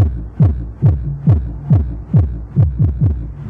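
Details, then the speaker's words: ACM Audio active subwoofer, long-stocked unit that had gone into protect mode, being tested by a technician with phone audio input: deep, punchy, loud bass thumps about twice a second, clean with no crackle; amp working normally. "Ayun, may audio na. Malakas, grabe ko malabog."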